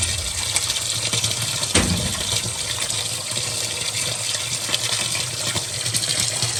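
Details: Water softener started manually after a sump pump replacement, cycling: constant rushing hiss of water through the line, one soft knock early on, otherwise smooth; normal flow.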